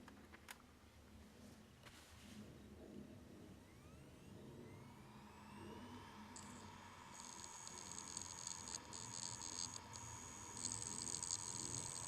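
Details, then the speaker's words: Failing WD Elements external hard drive, opened and plugged in: faint rising whine as it tries to spin up, then thin high hiss with irregular ticks; drive faulty, data lost. "well this is that WD elements drive that was having problems"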